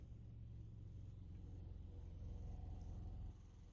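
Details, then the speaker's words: Car idling in Drive with the e-brake on: holding the foot brake brings a low uneven rough idle with RPM dropping and slight shaking; foot off the brake, RPM rises to smooth idle. Idle fine in Park, cause unclear. "and I get a rough idle RPMs drop foot off the brake RPMs go back up smooth idle brake on break off"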